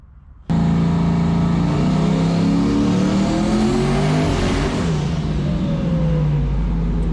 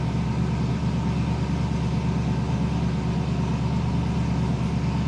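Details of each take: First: Turbocharged Foxbody Mustang on E85, dome pressure raised but manifold pressure not rising: loud pull climbing in pitch, then note goes ragged near the top and drops off; suspected misfire under boost, plug wires checked, cause unconfirmed. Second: Foxbody Mustang on E85, idling right after cold start following retune; previously surged and died until warm: steady, even idle with constant low rumble, no surging or hunting; running normally.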